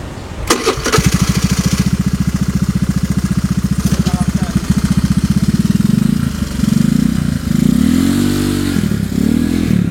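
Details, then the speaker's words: Honda Vario 110 carbureted scooter with new R-One standard-racing exhaust: quick start, even idle, smooth revs with muted deep exhaust; owner finds it quieter and more muffled than previous exhaust, engine sounds healthy. "kalau yang gua dengerin sih suaranya lebih adem ya ini ya daripada melap sebelumnya lebih adem terus pas di jalan juga lebih lebih saru ya"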